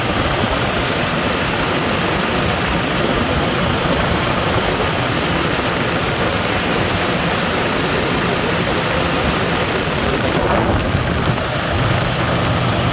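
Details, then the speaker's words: 2016 Toyota Hiace 3.0 diesel idling with the aircon on, after the alternator pulley and fan belt were replaced. Steady, even idle with no squeal or rattle from the belt area; the earlier loud engine noise is gone. "Ano okay na mga paps talagang alternator pulley ang bigay nawala na yung malakas na ingay sa a makina"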